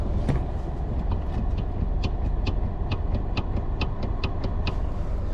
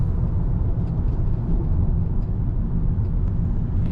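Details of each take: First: 2013 Toyota Camry: sharp light taps about two a second from the steering column as the wheel rocks side to side, with vibration also heard on straight roads; the cause is a worn steering coupling damper, not the intermediate shaft. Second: 2013 Toyota Camry driving after repair: steady low road rumble with no steering column rattle; cause was a disintegrated bushing/damper in the column, not the intermediate shaft it mimics.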